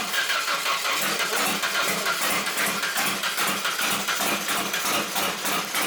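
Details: Drift truck, first start attempt after new coil pack wiring, with intermittent spark suspected from poorly fitting plugs: fast steady cranking that never catches; crank, no start.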